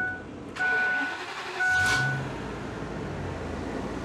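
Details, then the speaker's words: 2006 Ford E450, 6.8L Triton V10, blown head gaskets after severe overheating, 2,373 miles after Blue Devil sealer: short crank, then steady, even idle with no miss or knock; no codes, no white steam. Normal idle. "up so we've got no lights whatsoever no trouble codes she idles beautifully I mean this truck is fine"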